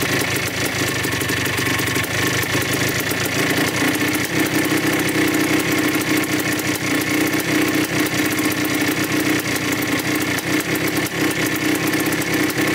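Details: 1987 Yamaha YZ 490 two-stroke after carburettor rework for bogging, during a roughly five-minute warm-up: loud, crackly, rapid popping idle holding steady with no misses or hunting. The air screw is at 2¼ turns out, likely in spec.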